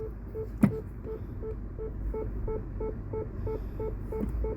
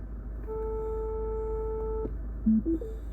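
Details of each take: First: Mini Cooper Clubman (R55) in reverse after a genuine secondhand rear parking sensor replaced a failed cheap one and faults were cleared: steady, evenly spaced beeps about three a second over a quiet idle, so the parking sensors work. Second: Mini Cooper Clubman R55, on selecting reverse: a single steady mid-pitch beep lasting about a second and a half, with a "parking sensors unavailable" warning. Fault codes point to the rear left and rear centre left sensors, both suspected faulty.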